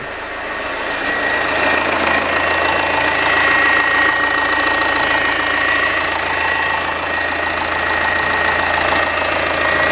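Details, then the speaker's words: Citroen C5 Hydractive, after rear suspension cylinder replacement and topping up low orange LDS fluid: idling engine with a faint thin whine as the suspension pump primes and self-bleeds back to the tank. "so we're now going to do is start the vehicle let it idle and apparently we should hear the pump prime itself and it will self bleed as it all goes back to the tank and I can hear it"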